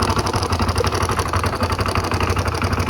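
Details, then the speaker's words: Honda Pop 110 motorcycle, hard to start, idles without throttle: rough idle with rapid uneven clatter about four beats a second from engine, stalls by itself, weak and misfiring, appears to lack ignition advance; abnormal engine noise, cause unconfirmed. "Tem esse barulho que está no motor. A moto acabou se desligar sozinho. Nota que a moto não está boa, segurando e lenta."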